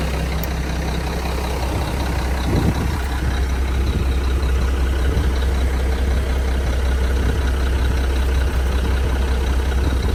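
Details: 1997 Mack RD600 diesel cement truck from auction, just started after charging dead batteries: deep steady diesel rumble, even and smooth throughout, no knocks, misses or squeals; normal diesel idle.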